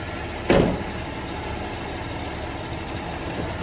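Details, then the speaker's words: Toyota 80 Series Land Cruiser (FJ80) after fixing a power steering pump whine: steady, even idle with no whine, even when steering is moved; one brief thump near the start. "for a bit [Applause] much better and if we actually move it around no more noise that's how you do it guys thanks for watching"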